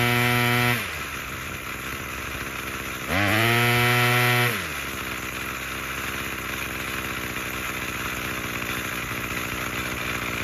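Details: Craftsman 27cc curved-shaft string trimmer 316.711170 after repair with new recoil assembly, fuel filter and fuel line, on fresh fuel: steady idle buzz, twice revs up crisply and settles back without sputtering; fully functioning.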